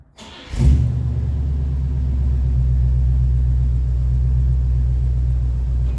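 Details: 1965 Buick Riviera, first start in 15 years after donor battery and new battery cable, crumbling starter solenoid and heat-crisped wiring fixed: brief crank, then catches and settles into steady, even low rumble, no misses or knocks; healthy running.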